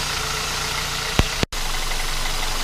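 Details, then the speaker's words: 2007 Kia Cee'd 1.6 petrol with squealing alternator/accessory belt, after retensioning the belt two turns and applying belt spray, at about +10°C in high humidity: steady even idle with no squeal, a brief dropout midway. "пока не скрипит на дальнейшее посмотрим"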